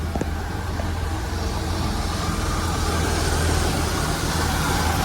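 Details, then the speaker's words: Holden VS Commodore ute V6 idling on first start after 10 years sitting, following fuel pump, sender, plugs, leads, filter, oil and coolant work: low idle with a slightly uneven, lumpy beat, about three pulses a second; mild rough idle, cause unclear. "It's actually running pretty well considering. Sounds like there's a little bit of a rough idle there, so not quite sure what that is, but considering 10 years of sitting, it's running really, really smooth."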